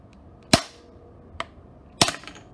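Sharp cracking pops, two loud and one faint, in quiet room: overvoltaged components bursting on the circuit board.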